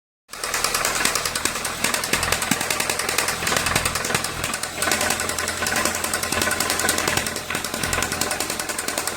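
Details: VW Santana AP 1.8 engine, oil level ok, new oil and filter, no smoke; oil pump, hydraulic lifters replaced, timing and camshaft checked yet noise persists: loud, sharp rapid knock, two or three a second over idle; connecting rod play suspected.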